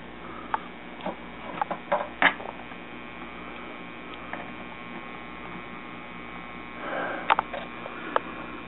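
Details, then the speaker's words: Washing machine parts wired together with the pressure switch bypassed, trying to reach spin mode. The motor only buzzes with a steady hum and does not spin; the owner suspects the fill switch or another safety switch. "that stupid fill switches if you have to get it into spin mode it's just buzzing"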